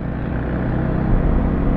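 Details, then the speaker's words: Bajaj Dominar 400 at 38,000 km, riding after an oil change with the vibration gone: a steady, even low engine rumble, free of knocks or rattles; the engine runs smoothly and normally. "na naman yung makina saay natin maano kasi smooth na naman yung makina"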